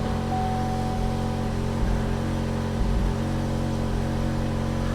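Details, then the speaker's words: 2015 GMC Terrain idling after a transmission fluid change, old spark plugs; loud, deep rumble and drone from the tailpipe; worn-out muffler awaiting replacement letting exhaust through unsilenced. "now the next step is start the vehicle listen to that muffler that's not that I'm working on replacing"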